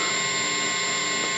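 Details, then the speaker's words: Small used practice amp turned all the way up with no playing: constant bright hiss with a few faint steady tones, owner blames mostly his pedals. "And it's not that it's noisy, it's that it can pick up noise really a lot. So here it is turned up all the way."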